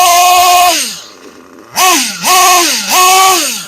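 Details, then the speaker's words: Kyosho US1 nitro engine during break-in runs. Three sharp revs climb to a high buzz and fall back to a burbling idle without stalling, with visible smoke; it is still running slightly rich, so more high-speed break-in is planned. "Now you see all the smoke. She's still running a little bit on the rich side."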